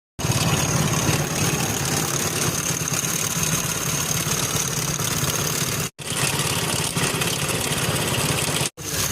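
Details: Hero Splendor motorcycle single-cylinder: it idles steadily with a busy, tinny rattle over the low thrum; the owner suspects timing chain rattle.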